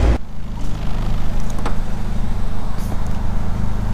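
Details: Honda wagon after B16 transmission swap and exhaust leak repair, cruising about 65 mph at 3,500 rpm: smooth even low drone, no ticking or puffing from the header; exhaust sealed and quiet. Normal exhaust note.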